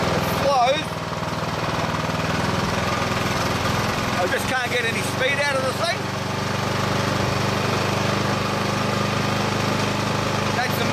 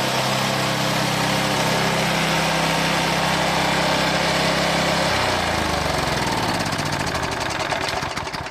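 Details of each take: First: Old Briggs and Stratton lawn mower engine, roughly 20–25 years old, on choke with speed lever at full: a steady low drone that never climbs, stuck near idle; after the fix it revs through the full range. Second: Old Briggs and Stratton lawn mower that had lost power and would not rev up, after fixing the carburetor float spring: smooth, steady hum at constant speed, then a clean wind-down at shutoff; engine now runs properly.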